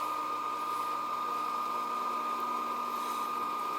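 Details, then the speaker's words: AC unit condensate pump filled with water from a bucket: even, unbroken hum with steady high whine, no surging or rattle; pumping normally and shuts off after a while. "all right that's pumping that sounds good let's see if it shuts off"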